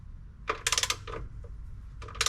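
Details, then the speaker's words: Torque wrench set to 18 lb-ft tightening transmission pan bolts on a 2005 Chevrolet Silverado 1500HD: quick metallic ratcheting bursts, then a sharp click as the handle breaks loose at set torque; wrench releasing properly, normal. "What you'll do is you'll hear a click, and the handle will kind of break loose."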